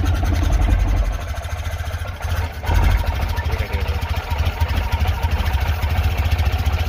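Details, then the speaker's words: Tata Nano CNG that stalls right after starting and when accelerating, also backfiring; quad cable, spark plugs and fuel pump already replaced: lumpy, uneven idle with pulses dropping out, clear misfire at idle. "Miss firing कर रही है।"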